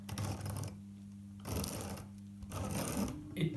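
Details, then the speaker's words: Tri-ang R.253 Dock Shunter model loco, probably unused about 30 years, after wheel cleaning and oiling gears: small motor whirrs in short bursts with silent gaps, cutting in and out, but starting to move back and forth under its own power. "does seem happier now that it's got clean wheels oh it's off it's off i know it's probably most likely going to slow down but it is starting to move backwards and forwards under its own power"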